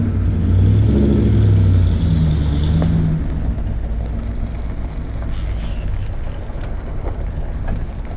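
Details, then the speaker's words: 1994 Ford F150 4x4 after swapping its moaning rebuilt Ford power steering pump for a salvage Saginaw pump from a 1994 E150: deep engine rumble pulling away, no moan or whine; power steering pump now quiet. "I really can't believe how much quieter that is now"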